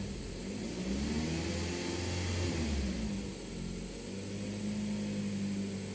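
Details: 2004 Toyota RAV4 2.4 2AZ-FE, cold engine, complaint of unstable running and poor cold starts. After throttle-body cleaning it starts and settles to a smooth idle, then rises and falls evenly on a few throttle blips with no stumble.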